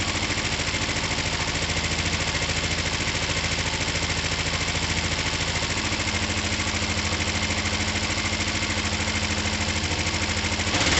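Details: Finished, repaired twin motorcycle, oil just topped up, down pipes wiped so slightly smoky, started from the button: steady even idle at about 3.5 pulses per second, no misses or knocking; runs clean.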